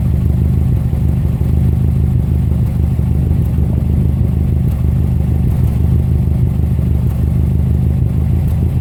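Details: 2005 Subaru Legacy GT EJ255 at idle: deep rumbling idle with an uneven, stumbling beat that keeps breaking rhythm; engine misfire.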